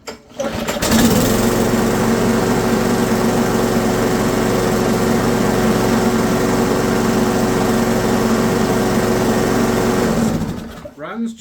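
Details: Ariens mower with Briggs & Stratton 190cc auto-choke engine, after fixing stuck auto choke: fires and holds steady even hum with no surging or hunting until shutdown; healthy running.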